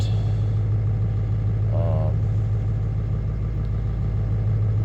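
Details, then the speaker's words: Ford 7.3 Powerstroke diesel idling after cold start at about 50°F, following new glow plug relay and glow plug harness reconnection: steady even low rumble, no knocks or misses; sounds healthy, battery voltage slightly concerning. "yeah so this one this one sounds pretty healthy"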